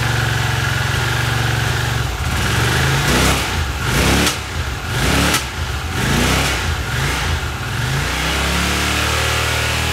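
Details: 1982 Honda CX500 twin, neglected for years, carbs cleaned and bench-synced with a welding rod: idle hunts up and down about once a second, note sagging and recovering unevenly, dropping and dying out; carb idle problem suspected, cause unknown.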